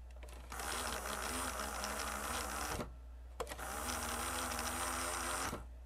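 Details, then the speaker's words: Mitsubishi HS-U58 VHS VCR that won't accept a tape: loading motor whirs in long bursts without the mechanism engaging, spinning free because the mid-90s loading belts have melted. "maybe just needs a loading belt well let's go and get the mechanism up and out of this thing and see what it looks like on the bottom side where the loading motor lives"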